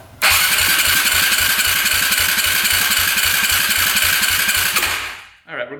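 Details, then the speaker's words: 2008 Yamaha YFZ450 that smokes heavily, compression test with throttle open and jumper on the battery: fast even cranking without firing, light compression strokes; reading 50–60 psi, low; owner suspects worn rings or valve adjustment. "throtle open hit the start button we're only getting 50 50 psi let me hook up a jumper to the battery and really crank it CRS a little better"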